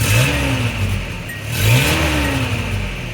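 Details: 1986 Nissan 720 four-cylinder pickup with a replaced carburetor, throttle return spring added, new muffler and the catalytic converter deleted: two quick throttle blips rise and fall smoothly back to a steady idle; healthy response.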